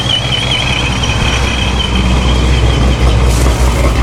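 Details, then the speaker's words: Dodge Charger Scat Pack 426 V8 with ProCharger after a boost leak repair, restarted to idle: deep, even idle with a faint steady blower whine, no misses or hissing leaks; normal idle. "all right I'm gonna fire it up again and let it idle for a moment and then um try to make sure it's making boost"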